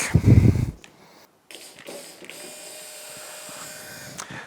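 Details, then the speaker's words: 2004 Yamaha F225 outboard powerhead rebuild, bench test of the low-pressure lift pump on its bracket: a new pump runs with a steady, even mid-pitched hum, unlike the old unhealthy-sounding one, which is replaced. "So yes, they sound a whole lot different. So guess which one's gonna go on the engine? It's gonna be this one."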